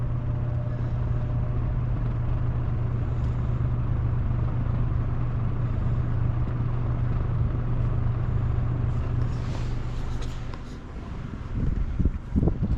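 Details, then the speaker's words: Old metal-blade box fan, freshly oiled and turning freely, on low: steady low hum with soft, even blade-chop whoosh, no scraping or rattle; running normally. "Yeah, it's not turning very fast, is it? It's pretty slow, low speed. You really hear that blade chop in the air."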